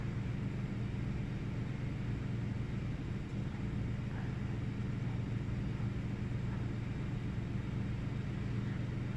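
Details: 1998 Ford Taurus SE OHV V6, restarted after about 10 seconds off: deep, uneven idle rumble that intermittently loses rhythm, no significant change after restart; cause unknown.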